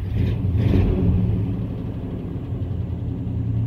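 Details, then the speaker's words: Truck started dead cold: idles fine and runs at full throttle, but with a little throttle it gives a deep, uneven, lopey rumble like a cam. Owner suspects the throttle position sensor; a vacuum leak or fuel pump was also considered. "it's the idling just fun but if I give a little bit of throttle I don't know if y'all be over here but sounds like has a cam in it which it's pretty cool but it shouldn't be doing that"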